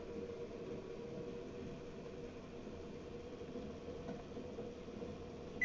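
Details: NordicTrack treadmill after drive motor replacement, first test at 1 mph: soft, even motor hum, no knocks or scraping; new motor running smoothly and healthy.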